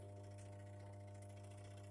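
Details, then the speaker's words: Washing machine wash motor with the timer set to 5 gives a loud, steady mains hum but does not spin, while the dryer motor spins. Motor energized but stalled; failed start capacitor suspected. "हम इसे मेट पर पीसने के लिए चालू करते हैं लेकिन यह कताई नहीं कर रहा है"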